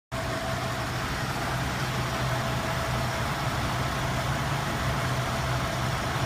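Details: Engine running rough at idle: steady low idle with slight unevenness in its beat, a misfire; no codes, cylinder balance test passed, cap, rotor, plugs, wires, coil and temp sensor replaced and timing set, cause still unknown.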